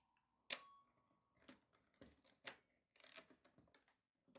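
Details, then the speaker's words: Repaired 1960s Canon Demi S half-frame 35mm camera, shutter at about 1/30th: crisp single clicks about a second apart, opening and closing audibly distinct, quiet between. Normal shutter operation after repair. "You can actually hear the difference at this point. You can actually hear the opening and closing."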